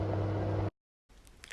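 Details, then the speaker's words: Electric oven on convection (Umluft) mode with no temperature set, after repair of rattling fan: steady low smooth motor hum with no rattling or clatter; normal fan operation. "testet euer gerät schaltet die umluft ein ihr müsst dazu keine temperatur werden und man hört die reparatur hat funktioniert es ist kein kaputtes geräuschen dazu gehören"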